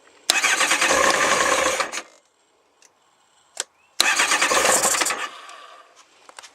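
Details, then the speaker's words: Kawasaki ZX9R Ninja during winter service, fuel tank and air box removed: two brisk cranking bursts of about two seconds each, engine never fires; it won't start with the air box off. "so it doesn't like it with the air box off"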